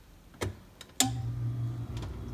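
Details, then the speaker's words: Whirlpool ED5FVGXWS05 refrigerator after replacing cold control thermostat: relay click then steady low hum as compressor starts on its own, without striking the thermostat as needed before; normal start. "isn't that nice that's the sound of a compressor turning on"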